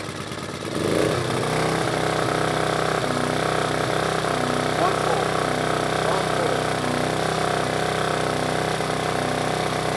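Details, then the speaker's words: Generator with a Yamaha MZ80 engine, a first-pull starter, owned for years: a steady, even single-cylinder beat at a constant governed speed with no misses, surging or knocks. Healthy normal running; the owner calls it a really good runner. "that mz80 engine in it real good uh about that wind generator going had that for years and uh it's a really good runner"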